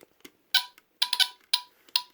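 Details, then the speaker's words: Vintage mid-1970s Norelco Smokey HB-0933A smoke detector with Delta-Larm squealer horn, powered by a used battery taken from a Honeywell TC89B: short, sharp high-pitched chirps in quick irregular bursts over silence, a low-battery warning chirp on connection. "It's chirping. Yeah, I should have connected it before putting it into the clip."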